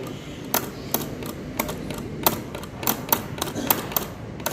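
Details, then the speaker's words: Current relay bench test with a series lamp: sharp ticks of about two a second from inside as the coil receives current, showing the relay works normally. "अंदर से टिक टिक की आवाज आ रही है यानी coil में current supply हो रहा है"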